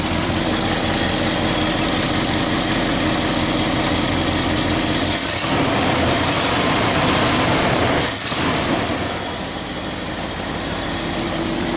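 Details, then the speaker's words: 1969 Ford F-250 V8 after replacing the PCV valve, tightening loose vacuum hoses and adjusting the jets: a smooth, steady idle around 600–650 RPM with no misses or knocks. Normal after repair. "and 650 it's huming nicely though oh yeah looking good look 600 RPM give or take 20 or 40 RPM feeling pretty steady guys"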